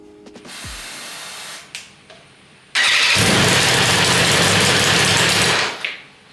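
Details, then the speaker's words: Crash-damaged BMW S1000RR superbike under rebuild, on its first start: it cranks, catches and holds a loud, ragged roar for a few seconds before cutting out; it runs but sounds rough, cause unknown. "Yes! We've got a running engine! Oh. How good's that? I mean, it doesn't sound good, but..."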